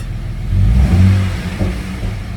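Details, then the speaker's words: Jeep after a bolt that fell into the intake was removed from cylinder #3, where it had held the intake valve open (zero compression): a quick throttle blip rises cleanly and drops back without stumbling, even on all cylinders. Healthy revving, idling at 750 rpm. "No, guys, it sounds so good. I didn't die far away. Guys, it sounds great. It sounds great."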